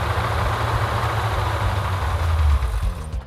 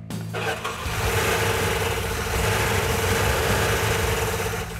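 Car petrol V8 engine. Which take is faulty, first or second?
second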